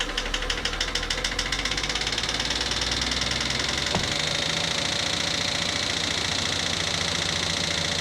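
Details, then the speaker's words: Nissan R34 Skyline, abandoned car, Neo engine: fast regular metallic ticking, three or four a second, over the idle; hard top-end knock, head believed damaged, possibly valves, not confirmed until engine is torn down. "Yep. As you heard, the head's toast."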